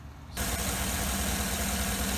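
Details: 2008 Cadillac Escalade GM 6.2L that stalled at idle after cold start, restarted after purge valve replacement: engine catches and settles into an even, smooth idle without the loud purge-valve ticking or idle drop; normal idle.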